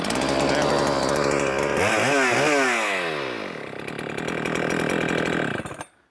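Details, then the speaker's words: Holzfforma G395XP (Husqvarna 395XP clone) chainsaw, first run, bar hot: revs high then falls off and dies unevenly; hard restart after shutdown; owner suspects choking it to kill it floods it slightly (on/off switch faulty), maybe too lean on the low side. "so maybe whenever I'm hitting that uh choke to kill it I'm flooding it just Just a Touch"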